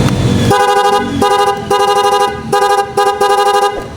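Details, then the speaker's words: Horn on a Honda Click V3 scooter with poorly done wiring and incomplete mounting parts: short blasts come out thin, strangled and weak with little volume; the horn is choking. "Yan, pupot na pupot siya, wala siyang hangin na lumalabas sa kanyang bibig ng bula-bula."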